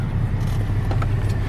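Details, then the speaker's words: BMW 530xi 3.0L non-turbo auction car, code P0304 cylinder 4 misfire, coil suspected: rough, lumpy idle with uneven pulses, sounds like a Subaru; suspected cylinder 4 misfire, not confirmed. "it runs really really rough I think it has a really bad wrist fire kind of sounds like a Subaru"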